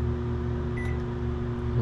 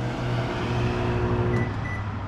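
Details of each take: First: GE microwave after replacing the magnetron, which had caused loud buzzing and no heating: even, steady low hum with no harsh buzzing while heating water, which then boils; microwave running normally. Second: GE microwave that does not heat food makes a steady, heavy low buzz, louder and coarser than its normal hum; a faulty magnetron is suspected, not confirmed.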